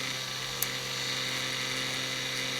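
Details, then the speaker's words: Rusty, damaged Konami M2 arcade board showing a hardware error, dead timekeeper suspected: thin, steady high whine with a sharp click as the CD-ROM drive repeatedly spins up and hunts but never reads. Cause suspected, not confirmed. "as you can see the disc drive just keeps going back and forth and trying to spin up but just a hardware error"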